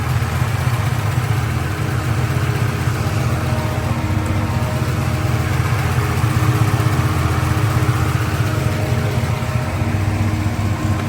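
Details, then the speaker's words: 1986 Ford Mustang Foxbody after head and intake work, running again after repair: steady, even low idle with a smooth unbroken rumble and no miss or knock; runs really good, though the throttle body is a little sticky. "But got the car pretty much all situated. Runs really good. Idles."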